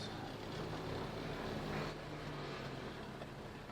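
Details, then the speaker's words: Suzuki Jimny driving on knobby tyres: low road rumble with loose, irregular light rattles from body and roof rack. "And the roof rack rattles a little bit. Needs you can hear the rattles in here. But it's going to rattle."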